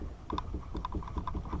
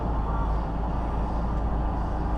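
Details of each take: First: 2005–2010 Mustang GT front sway bar rocked by hand: quick hollow clunks, often in pairs, from worn, hardened, shrunken sway bar bushings letting the bar move; replaced with 34mm polyurethane bushings. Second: Ford Mustang GT (2005–2010) after replacing the front sway bar bushings (Prothane 34mm), driven up and down the driveway. A steady low road and engine rumble with no clunks over the bumps confirms the fix.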